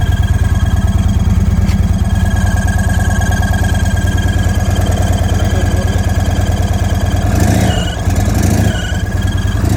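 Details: 2023 Indian Sport Chief 116 V-twin, new with 222 miles, idling with a steady high-pitched whine over the thump, traced to an air leak past an off-center intake.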